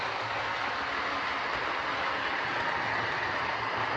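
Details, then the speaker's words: Old Trix A4 class Mallard model locomotive, reported very noisy, a poor runner and prone to derailing, on first power-up: harsh rough whirring with a gritty rasp and no steady note; suspected poor mechanism, not confirmed. "Well, that to me sounds like a horrible mechanism more than any sort of problem, but we'll get it into the shed and off to the bench and we'll have a look at it out of curiosity as much as anything else."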